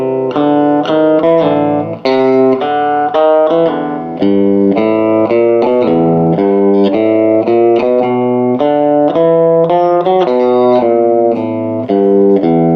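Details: 1949 Gibson BR-6 tube amp, final tone demo after servicing, cleaning and repairs, played with a Fender Strat single coil: clean, clear notes ring out with no hum, crackle or dropouts. The amp plays with a full, healthy tone.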